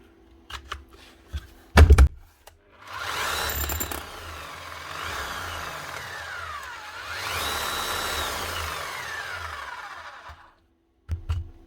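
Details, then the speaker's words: Bosch GBH 8-45 D demolition hammer on the bench, customer reports the red light came on and it shut down; motor spins up and sweeps through the speed settings over low thumping hammer blows, smooth with no eccentric-gear clicking: normal running. "She's running and she's hammering. And she's going through the speeds, so find out what this is actually left on for."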